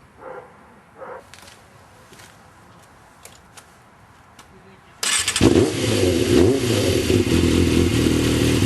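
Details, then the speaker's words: Yamaha YZF 600 motorcycle after cleaning and replacing the carburetor vent-line filter (3GM-14467-00-00): quiet handling noise, then the engine catches and settles into a steady, even idle with no stumbles or misses. "And now I'll let you hear the regular sound of the motorcycle, so you can have an idea how it works now after I replace the filter."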